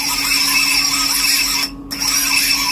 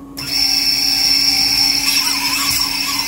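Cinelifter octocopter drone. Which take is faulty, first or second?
first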